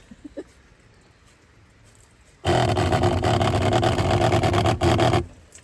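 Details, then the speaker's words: Geyser shower system's small water pump activating as water runs from the squeezed sponge, ambient about 65°F: rhythmic heartbeat-like thumping about three times a second, stopping on release; normal noise for this pump. "So that's what it sounds like when it activates the pump. So you got to be okay with hearing that little noise too with this system."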